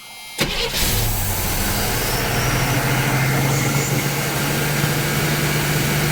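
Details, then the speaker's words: 1976 Chevrolet Nova Concours stored in a garage 35 years, started with a screwdriver propping the throttle plate: V8 catches after brief crank, settling into steady, even low rumble, upper radiator hose warming; normal idle. "It's been idling real good so far."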